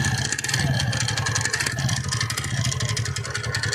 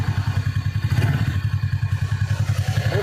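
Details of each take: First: TVS Ntorq BS6 scooter at about 9,000 km, idling: fast sharp metallic "kat kat" clattering from the clutch side; mechanic says the one-way clutch nut has come loose, engine to be disassembled. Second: TVS Ntorq BS6 scooter at about 9,900 km, after the repair: even low putter at idle with no tapping or clatter, quiet like a new bike.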